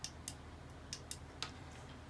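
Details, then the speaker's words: ShurFlo RV water pump from a 2004 Thomas school bus conversion, failed after 8 months, opened up: light, sharp clicks, about five in two seconds, as the diaphragm under pressure pushes the pressure switch's tongue; owner suspects the switch failed. "yeah and you can hear that click on the inside so this thing would come apart there's two snaps right there"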